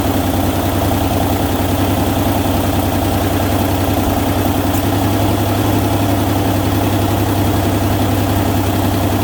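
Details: Ford Ranger idling after manual transmission reinstall and final assembly: a steady idle with a raspy, puffing chuff on the low rumble. An exhaust leak is suspected, not confirmed.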